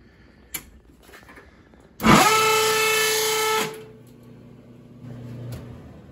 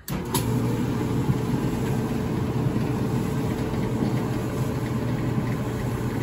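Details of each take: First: Whirlpool dryer with a loud steady squeal for about a second and a half and no drum spin; the drum belt had come off. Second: Whirlpool dryer after repair, belt back on: drum turning with a steady, even low rumble and no squeal, scrape or knock. Before, the belt was off, so the drum would not spin and the dryer squealed loudly.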